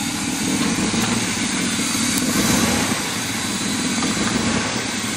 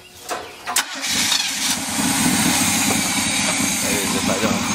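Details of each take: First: Old fire truck, first run, cold on a hot day, very low idle around 14.5 V charging; loud, ragged, hissy idle with low chug as the exhaust muffler has nearly fallen off and two air pumps aren't connected. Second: Old fire truck, first start, engine once feared seized, on five gallons of gas: short crank, fires and settles into a steady, even, very low idle, cool engine on a hot day, no knocking or stumbling; starts and runs normally.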